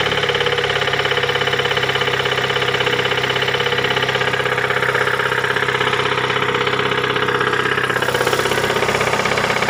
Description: Застучал двигатель 2.3л. на Мондео 4 2008 год, пробег 203 тыс.